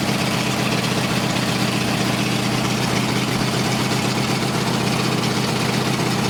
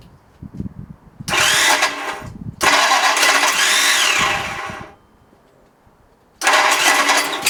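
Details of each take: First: Race Ford flathead 8BA V8 on a run stand with a replacement oil gauge: steady low rumbling idle with an even beat, no knocks or ticks; 50 psi oil pressure, oil pump working, no big leaks; compression about 150–165 psi. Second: Ford flathead 8BA race engine on a run stand, with a new distributor: several bursts of steady starter cranking with no firing at all. No spark found at the ignition; ignition timing is suspected but the cause is unconfirmed.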